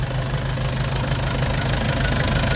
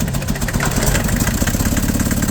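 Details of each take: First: Nissan Big M BD25 diesel after repair and a new radiator, refilled with 7 L oil and over 8 L coolant while bleeding air: steady, even idle clatter around three beats a second with no misfire, light revs while running in. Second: Nissan Big M with BD25 diesel, hard to start, heavy shaking and white smoke. Loud, lumpy, stumbling idle; unplugging injectors showed cylinders 2 and 3 not firing while 1 and 4 work.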